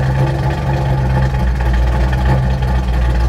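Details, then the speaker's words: Truck V8 with Holley Sniper EFI and progressive linkage after tuning for low vacuum and rich mixture: idle bumped to 900 rpm, idle timing about 22 degrees; deep, even idle that holds steady without stumbling or hunting, running cleanly. "so what seems to help it's idling really well I bumped the idle up to 900 my timing at idle is about 22."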